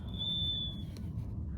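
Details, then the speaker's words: Window on a gusty windy day: a thin, high steady whistle under a second, then fading to a low rumble, heard during strong gusts; no draft felt at first, then air felt leaking at one spot by hand; leaky seal suspected. "Слышите, да? Хотя вот свистит, но сквозняка нету."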